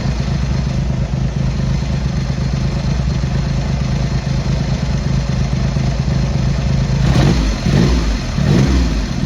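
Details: Triumph Hurricane X75 triple, not fully warmed up, after carb rack rebuild and pilot screws richened slightly, left carb adjustment corrected: idles evenly with steady low burble, crisp clean throttle blips; sounds better, slightly rich with dark smoke off idle.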